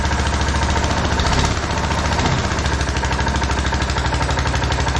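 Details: TrailMaster Mini XRX go-kart with sticking choke cable: steady even low putter with quick regular firing pulses; idling smoothly.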